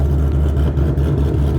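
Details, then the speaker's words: V8 with Ghost Cam tune after dyno work, about 30–40 seconds into idle, idle around 420 rpm: slow low rumble with uneven loping chop in exhaust pulses; lumpy cam-style idle. "it's definitely chopping now uh it's been maybe 30 40 seconds I kind of see the pulses of the uh exhaust"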